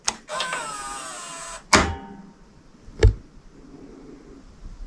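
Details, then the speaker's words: ATV with 4WD not showing on the dash, switched on: a click, about a second of electric whir and a clunk as the 4WD actuator engages normally; fault lies elsewhere in the drivetrain. "Laitetaas neliveto päälle Kuunnellaan suriseeko"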